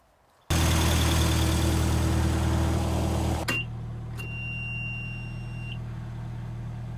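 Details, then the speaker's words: Hay-baling tractor with a weak battery: slow, labored crank of about four turns a second that never fires, then beeps. The weak battery drags the starter; it needs jumper cables. "well i disconnected to go up to lunch and uh apparently taking a 45 minute lunch was too long because it is almost dead again i'm getting no well i'm getting very little so i need to put the jumper cables back on"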